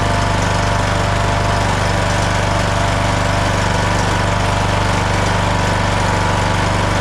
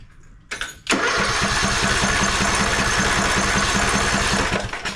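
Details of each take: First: Craftsman LT1000 riding mower with a non-original single-cylinder Briggs & Stratton 17.5 Intek, after the failed ignition coil was replaced: fires and settles into a steady, even beat, then picks up speed smoothly with no stumbling or knock. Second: Craftsman LT1000 mower, non-original single-cylinder Briggs & Stratton 17.5 Intek, throttle up, battery on the seat switch: starter churns about four strokes a second for roughly four seconds and never fires; spark is very weak, and the ignition coil proved bad.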